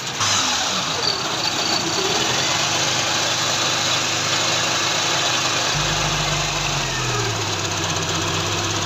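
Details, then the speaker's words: 16-valve engine with starting problem, after valve and timing marks set and front belt refitted: fires and settles into steady, even idle with light throttle blips, no knocking or rattles; now starts normally. "बिल्कुल सही आ रहा है जी। ये गाड़ी अब हमारी स्टार्ट हो गई है।"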